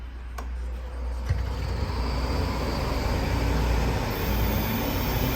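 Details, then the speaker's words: Alup SOLO 15 screw compressor, 15 kW inverter drive with permanent-magnet motor at 150 Hz, starting from 0 bar and filling 140-litre receivers; smooth, even low hum holding steady with no rattles or squeals: normal operation. "The compressor possesses PM motor with permanent magnets, and it works on 150 hertz. So let's hear it."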